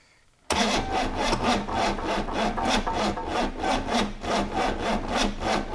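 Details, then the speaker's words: 6.2 L GMC V8 diesel unstarted for 15-20 years, glow-plug heat on: slow heavy cranking at two to three compression pulses a second, never fires; two flat batteries and fuel solenoid not plugged in properly. "it just don't turn over fast enough does it no right so after looking at some YouTube tutorials we had realized that we haven't got the fuel center thingy plugged in properly we've got two flat batteries"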